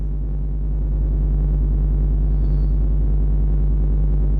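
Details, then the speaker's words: Chevy Tahoe V8 cold start, coolant temperature 38, loud unfinished exhaust; deep, even exhaust throb at a raised steady idle, no misses or knocks; high cold idle. "Idling pretty high. That's loud. Like, look at the coolant. There's a coolant temp sensor is at 38. So, like, it's cold, guys."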